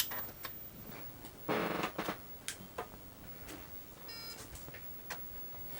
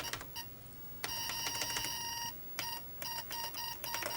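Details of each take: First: Microbyte HC120, an early-'90s Australian XT clone, booting after repairs: irregular dry ticks and chattering bursts in a quiet room. The very noisy hard drive is seeking but booting normally. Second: Early-1990s Microbyte HC120 XT-clone computer booting just after repairs, with a noisy hard drive. One long beep, then short beeps about three a second. Stuck key or keyboard fault.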